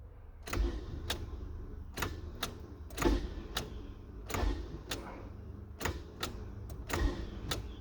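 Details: 2000 Nissan Altima no-start: sharp single clicks about every second with no cranking or catching; starter suspected bad, not confirmed.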